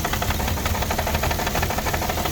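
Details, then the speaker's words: 2006 Porsche Cayenne 3.2 V6 petrol, cold just started: uneven, pulsing knock-like rough idle; owner suspects misfire and vacuum leak, also throttle body problems; unconfirmed. "Engine starts. I don't know, got some misfire or something. Still no running properly. I think got some vacuum"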